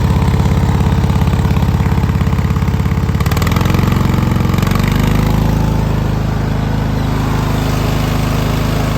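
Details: Cub Cadet LT1046 mower engine: steady thumping beat at idle that stumbles now and then, speed hunting slightly; misfiring.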